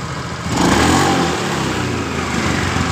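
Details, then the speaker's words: 2015 Honda Beat Pop scooter, after replacing CVT pulley/roller housing, rollers and rear pulley bearing that caused rough noise when revving: revs up cleanly and settles, drive note rising and falling smoothly without grinding or rattle; normal CVT operation. "Ini tiba-tiba langsung motor ini langsung suara halus seperti ini"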